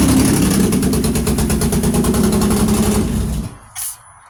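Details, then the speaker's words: 2006 Pontiac Grand Prix supercharged V6, used donor engine just swapped in, first start with open downpipe: loud idle with an uneven stumbling pulse, two cylinders barely firing. Misfire traced to knockoff eBay spark plugs. "It kind of sounds like it's misfiring a little bit. I don't know. I put some brand new spark plugs in it whenever I had it on the stand."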